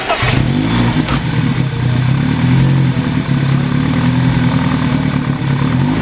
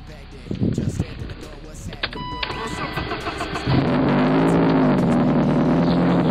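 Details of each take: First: BMW E30 "Betty" after all three belts were replaced and tightened; they had squealed like a wild turkey before. The engine catches and settles into a steady run with no squeal or chirp from the front; normal running, no belt squeal. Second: E30 on a cold first start: a wavering, squawking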